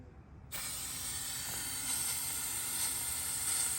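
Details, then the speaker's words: Hyrel pick-and-place attachment on a Hydra 21, compressed air through a valve and vacuum ejector, finger placed over the tip: steady, even hiss cutting in sharply and holding level, no pulsing or sputter; normal vacuum ejector hiss. "hear the air clicking on and off. And now I'm gonna put my finger on there. You hear the difference of the vacuum versus not vacuum."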